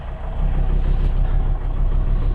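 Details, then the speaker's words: 2003 Volvo XC90 engine starting and idling on a new 900 CCA battery (85% charge) during a battery-tester cranking test, after low-battery no-start; alternator previously tested fine. Low, steady even idle, no ticking or knocking; normal idle. "So start the engine. There we go, more than enough to fire it up."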